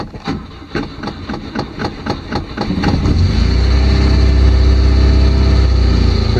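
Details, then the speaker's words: 1967 Volvo 1800S cold start, temperature gauge not yet registering, choke pulled out, in neutral, gas pumped a few times. Even cranking at about four strokes a second, then it catches and settles into a steady, smooth choke idle; normal cold start. "I will pull the choke out, put it neutral, and then I'll pump the gas a few"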